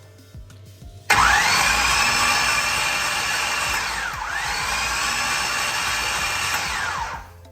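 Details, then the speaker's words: All-aluminum small-block Chevy V8 with fresh valve job and new headers, cranked with spark plugs out to prime fuel and oil: fast, even free spin with starter whine and no compression pulses; normal. "so now we have the fuel system and primed and they don't have plugs in it yet of course you can hear it spin it over"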